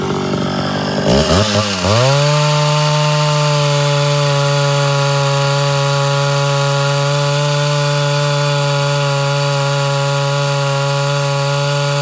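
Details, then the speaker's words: Mildly ported Homelite Super XL Auto chainsaw at full throttle under cut, after leaning the high-speed mixture: hard steady scream with no four-stroking when pressure released; a touch too lean. Reeds not sealing, troubling low-speed tune. "all right so that's just a touch leaner than i prefer uh it didn't go into four-stroking at all whenever i kind of released a little bit of pressure"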